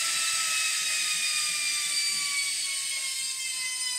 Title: Noisy Hotpoint Washing Machine